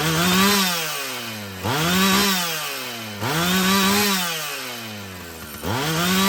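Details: Husqvarna 445 chainsaw after cleaning and tune-up: the engine snaps up to high revs and falls back cleanly several times with no bog or stumble; it runs well, though the carburetor may need more adjusting as its diaphragm loosens.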